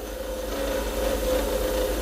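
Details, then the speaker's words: Lathe turning an acrylic pen blank: the smooth cutting hiss turns to a harsh buzzing chatter because the tool was fed too fast or at a bad angle, then smooths again after adjusting. "anytime you have a loud noise usually that's not a good sign you don't want a loud noise you want to go smooth as possible see the chatter"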